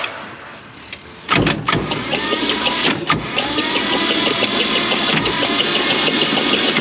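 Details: 1949 Chevrolet Advance Design pickup, not run for 30+ years, jump-started from another truck with fuel fed into the carb after sitting with penetrating oil in the cylinders. It coughs, sputters and crackles, hard to start; the coil is acting up and spark or points are suspected.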